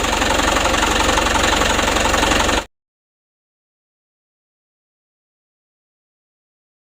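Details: Diesel truck after Bosch injection pump service; steady, even clatter with no misses, knocks or hunting, smooth from low to high throttle; normal running.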